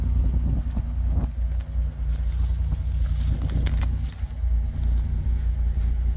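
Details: Pontiac Grand Am 3400 V6 with a new 65mm throttle body, muffler and GMC Acadia exhaust tips: deep, steady exhaust rumble with an even beat and no misses, ticks or knocks; a healthy idle through the freer exhaust.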